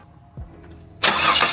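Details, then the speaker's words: Supercharged Holden VX Calais after oil service, engine continuous relay pulled so it cranks without starting for about 20 seconds to prime oil: fast, even starter churn, no firing; normal cranking for oil priming. "Okay, so before completely starting the motor, I like to just let it crank for a little bit to make sure all the oil flows into the correct spots."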